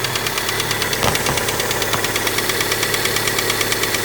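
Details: Honda Prelude burning oil, at idle: fast, sharp, uneven tapping that sounds like head or valvetrain noise but is piston slap, with no pressure holding the wrist pin up on one side.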